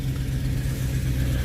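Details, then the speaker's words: Jaguar with engine cold, coolant reading low: steady, even low rumble at cold idle with no ticking, knocking or hunting, brief rev despite being cold; engine sounds healthy. "Sounds good. Ooh, yeah, that. Well, I'm not supposed to rev a cold engine, but yeah, man."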